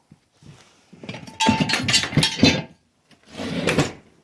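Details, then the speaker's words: Alfa Romeo 159 front door after replacing the door limiter/check strap mechanism (part 0060690659-001): clean swing with a soft, even detent and solid latch, no knocking or clacking, like a brand-new 159; check strap now works normally. "now wow this is nice it is like opening the door of a brand new 159"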